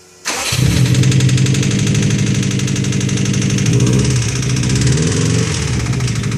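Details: Subaru WRX with a freshly installed used engine knocks immediately on first start-up: uneven idle with a steady knock about four per second; rod knock suspected, not confirmed.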